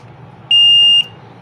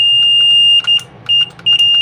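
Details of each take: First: LG front-load washing machine, PCB under repair with the pressure sensor removed: long shrill beeps repeat about half a second on and off without start pressed, a PE error for the undetected pressure sensor. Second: LG front-load washing machine control PCB after fault tracing and repair, being tested button by button: short, clean high beeps come in quick bursts as keys are pressed; the board responds normally to each command.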